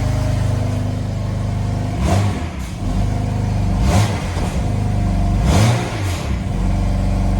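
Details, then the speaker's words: BMW M4 after removing new spark plugs and reinstalling the old stock plugs, charge pipes and intake refitted; smooth, even idle with three clean throttle blips, no stumble, sounds way better and more normal. Normal revving. "All right, so I have the engine running. It sounds way better. Sounds more normal."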